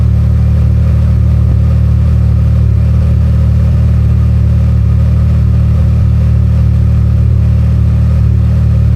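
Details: Can-Am Maverick R with Evolution Powersports flex fuel system, running while E85 is added to tank of 91 octane (ethanol reading rising from 15% toward 80%): deep, steady drone with even beat, no stumbling or misfire; runs smooth.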